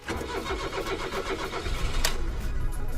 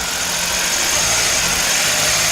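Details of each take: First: Suzuki Alto Lapin started after fitting a replacement ECU, very low on fuel: cranks and catches, then settles into a low, even idle with a steady throb, much lower than with the previous ECU; healthy start and idle. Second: Suzuki Alto Lapin after swapping two electrical parts and an on three seconds, off three seconds cycle, no tachometer; engine holds a steady fast even hum well above normal idle, idle still stuck high.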